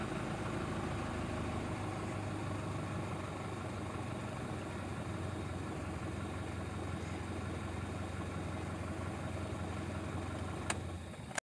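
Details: Mitsubishi Strada Triton common-rail diesel that would only start when primed with petrol; fault codes 1101/1102 read: after starting, it settles into a steady, even idle with a low, unchanging rumble and no misses; normal idle.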